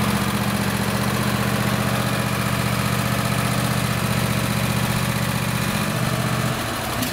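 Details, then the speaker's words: Craftsman lawn tractor, Kohler 26 hp Courage V-twin, after an ignition coil conversion kit fixed running on one cylinder. A steady, even low thrum firing regularly on both cylinders, then it shuts off smoothly. "so now I know everything's hooked up properly it works good"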